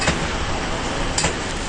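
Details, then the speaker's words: 18-month-old GE washing machine, Super Wash warm, medium wash, load of towels: sharp single clunks about a second apart as drum reverses direction over quiet wash hum; worse on Super Wash, later repaired by Sears. "the drums going one way then the other and the agitator is doing his own thing with a clunk clunk at every direction change of the drum"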